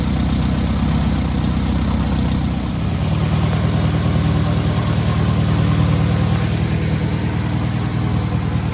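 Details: Newly rebuilt air-cooled VW 1600cc engine at its first start and break-in: even flat-four idle picking up smoothly around three seconds and staying steady, no tapping or knocking; normal running with revving.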